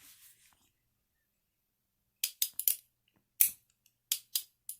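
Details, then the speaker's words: .22 snub-nose revolver from a pawn shop fitted with a .22 Magnum cylinder, action worked and cylinder rotated with loading gate open: crisp positive clicks, locks up strong with little shake; normal action. "that sounds pretty good right there all right we'll open the loading gate and revolve it and listen to the clicks and all of those are positive nothing out of the ordinary that's the way it's supposed to be"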